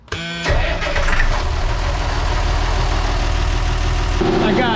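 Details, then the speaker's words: Perkins T6.3544 marine diesel, first start after resealing and retiming CAV injector pump: brief crank, then instant catch into a steady, even rumble with no misses or knocks, no pump leaks; normal start. "no leaks coming from the pump at all, which is a good sign still. We're going to let it get to operating temperature and see if it will restart."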